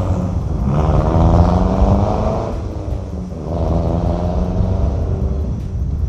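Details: 2008 Mazdaspeed 3 GT with a FWD 2.3 MZR turbo and a factory exhaust with the second cat and the muffler deleted; deep, low rumble that swells and eases with the revs, no rattles or misses, healthy.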